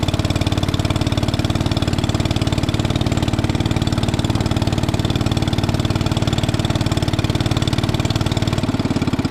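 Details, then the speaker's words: 1961 International Cub Cadet Original, 7 hp Kohler single-cylinder, running after first start with battery charging working, before driving: steady, regular low pulsing with no knocking or misses; healthy running engine. "It works. Everything on here works so far. All right. Let's go drive this thing."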